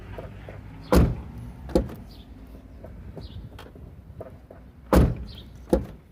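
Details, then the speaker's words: VW Gol G5 door after applying grease to cure the noise: the door opens and shuts with clean, solid thuds and no creak or squeak; normal, quiet door operation. "E cadê o barulho família que vocês tavam vendo cadê o barulho você resolveu o barulho das portas em apenas um minuto"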